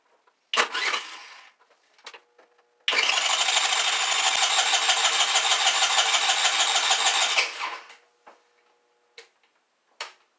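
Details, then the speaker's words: Auction scooter with a new six-pin CDI and ignition coil, battery charger used instead of a battery: starter spins evenly for about five seconds without firing; the next day it started after the ignition plug-in was unhooked. "alright guys so yesterday it wasn't starting so I unhooked the whole plug-in for the ignition and it started up"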